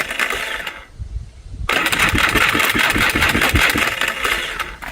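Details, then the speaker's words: Salvaged four-wheeler cranking: rapid uneven metallic chatter about four a second with a sharp rattle on top; later found flywheel not fully seated so gears missed, owner suspects Bendix starter drive skipping. "What's that noise coming from? >> It sounds like it's coming from there cuz that thing's going and now it's going back."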